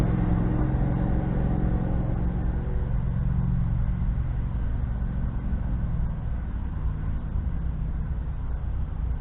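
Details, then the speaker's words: Husqvarna riding tractor after sitting all winter, small engine running steady: loud raw uneven low rumble with no muffling from a broken exhaust damaged over years; owner won't fix it, says it quiets over time; heads previously off, running good. "and yes the exhaust is broke i do not care to fix it the quiets up over time"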